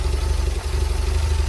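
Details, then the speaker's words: Porsche 924 cold start after sitting a few weeks, new fuel pump and accumulator working with no leaks: low, throbbing idle with an uneven beat and a brief stumble; rough idle persists, owner suspects the cold start valve, unconfirmed. "But obviously the engine hasn't run for a few weeks, so it is a cold start."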